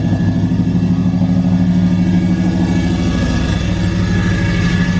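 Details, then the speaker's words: 2012 Ram 1500 Hemi, first start after cam swap (FRP Tomahawk cam, Hellcat lifters), steady fast idle around 1500 rpm: harsh metallic clatter in the rumble, torque converter bolts hitting the flexplate; plan to remove bracket and pry plate back. "That's that plate for sure. It's just it's at 1500 RPM the whole time. So it's just sounding really bad."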